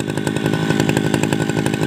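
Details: Tabata two-stroke brush cutter, 7+ years daily use, original block, piston, carburetor and muffler, rings replaced; rapid even high-rev buzz, steady pitch, no misses: normal running.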